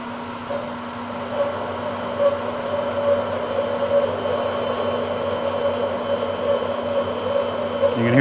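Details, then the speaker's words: Manual lathe machining a vise nut: a steady hum with a faint wavering ring as tool chatter tries to build on the cut after a speed increase at a smaller diameter; the tool is kept under it, with lube added. "that chatter trying to come back in, but I'm just trying to keep the tool underneath it."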